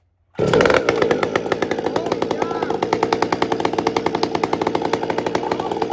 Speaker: He's got this tuned really nice. He's left me some room at the top. I can feel it. It's got nice whack, but it's fat at the top. You can feel it. You'll hear it.